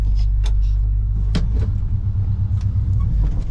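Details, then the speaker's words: Lifted squarebody Chevy with small-block headers and glasspack, clutch replaced this summer, hubs locked for snow: low rumble with scattered clunks from the transmission tunnel area driving forward in 4WD, barely heard in reverse. "so we got some noise coming from the uh transmission tunnel area once we keep going in a forward direction here"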